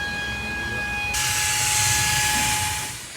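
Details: Jackaroo on its first drive, with earlier coolant leak issues: a sudden loud hiss over a faint whistle, like steam or coolant venting. Coolant found bone dry afterwards; owner suspects a bore split, possibly needing an engine swap.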